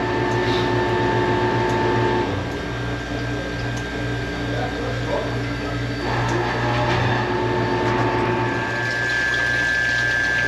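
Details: Manitowoc ice machine after fixing water distribution: steady low pump hum with fast even splashing, now pumping over the evaporator grid, flow strong enough it may need throttling; no rattle, normal circulation.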